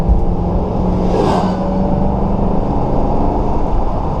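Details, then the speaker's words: 2011 Ford Crown Victoria, ex-government auction car with 165,000 km, on a test drive: deep, even V8 rumble building smoothly on acceleration, no knocks, hesitation or groans; normal acceleration, with smooth shifting. "acceleration right away I kind of like that no kicking no groaning no moaning this cars good"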